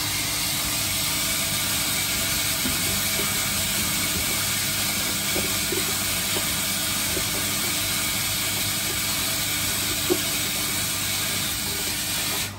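Steady hard hiss of water spray running evenly for about twelve seconds, then cutting off; the filter flush is working normally.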